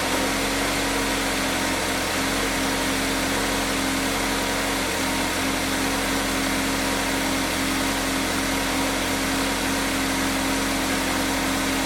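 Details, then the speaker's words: GMC Terrain 2.4 Ecotec after exhaust manifold and broken stud replacement: even, steady hum at startup and idle, much quieter, no rattle or loud noise, no exhaust smell in cab; manifold now sealed. "much quieter much quieter much wider there's no rattle upon startup not hearing that loud sound coming from the engine"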